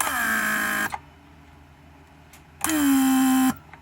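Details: Rebuilt Mercedes W140 500SEL door lock pump, trunk handle circuit with trunk closed: strong steady whine settling lower as it pulls about 0.8 (-20) vacuum, then clean shutoff; one of the strongest pumps, builds vacuum well.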